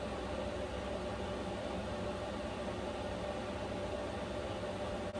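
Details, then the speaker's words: Vevor Chinese diesel heater running on a high setting in a cold, uninsulated camper: a steady, even fan rush with a constant mid tone; the fan is a bit noisier but the pump clicking is inaudible. Normal running, high fan setting. "Okay, so the fan is definitely a little bit noisier. Not bad though. I can't hear the clicking honestly at all."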